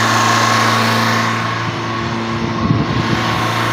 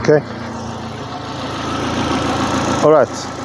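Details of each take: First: Opel Corsa 1.4i Utility after fitting a new Topran idle air control valve: on first start it idles high as expected, and the engine must be switched off and restarted. Steady raised idle that never settles, then winds off at shutdown; valve not yet adapted. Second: Opel Corsa 1.4i Utility, about 93,900 km, restarted with new Topran idle air control valve fitted: steady, even petrol idle with a smooth low hum, no hunting or stumbling. Normal idle.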